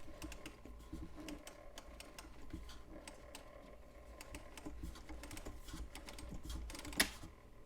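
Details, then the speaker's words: McGraw-Edison Model 12-026 Automatic 24 Hour Timer flip clock, plugged in and set to switch on at 2 p.m.: quick, uneven ticking and clattering, noisier than it should be, making a lot of racket; cause unclear. "So that should come on at 2 p.m. Boy, it's making a lot of racket."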